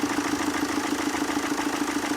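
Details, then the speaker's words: Tata Zest diesel, warm: idles with quick tapping knock several times a second and uneven beat, backfiring when hot, leakage on one side; injectors seized inside, engine misfiring confirmed on gauge; injector knock and misfire. "गाड़ी गर्म होके back मार रही है यह देख लो जी और इधर वाली साइड से भी लिकेज है इसके अंदर और इंजन देखो मिसिंग कर रहा"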